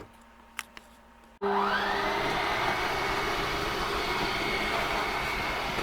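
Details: Whitehawk 32KBS travel trailer bedroom slide retracting: after silence the electric slide motor starts with a brief rising whine, then settles into a steady, even whirring drone; normal slide operation.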